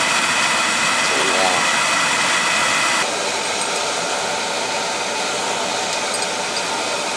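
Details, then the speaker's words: Oil boiler burner after running out of oil, line bled: loud harsh steady roar with a rushing flame, not choked; the nozzle is oversized and will be swapped for a smaller one. "I'm going to put a smaller nozzle sounds like a monster sounds like a big nozzle y'all doesn't seem to be choked so that's good"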